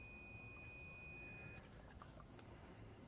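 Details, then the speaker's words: Multimeter in continuity/diode mode on the ignition key switch of a Jonsered LR 13 mower (Briggs & Stratton 12 hp) during wiring rebuild: steady high beep about 1.5 s as switch contacts conduct. "Donc là, quand il y aura le contact, ça couinera."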